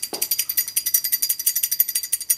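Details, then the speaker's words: DLE 55 RC gas engine, old crankshaft and connecting rod removed during rebuild, rattled by hand: dry rapid metallic rattle about ten clicks a second from excessive play; worn big-end bearing, rattling was heard when engine was running. "listen to the rattling This was um evident when uh when the engine was being flipped to be turned on and after it was on you could hear some rattling"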